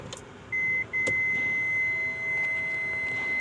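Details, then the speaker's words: Kia Sedona in reverse, parking assist chime with Autel live data on the BCM: steady high beep with short breaks as the damaged left rear sensor falsely cycles on and off; bumper damage noted. "But also at the same time, do you see how the left rear is always going on, off, on, off, on, off? Third warning off, third warning off, third warning off."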